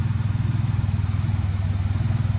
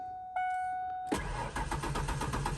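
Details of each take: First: 1992 Ford Ranger XLT, 4.0 engine, 243,000 miles, running on a Mustang fuel pump used as a direct swap: deep, steady low thrum with an even, regular pulse and no knocks or misses; the engine idles smoothly. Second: 1992 Ford Ranger XLT, 243,000 miles: starter spins the engine in an even rapid chug but it never catches; crank, no start from a failed fuel pump.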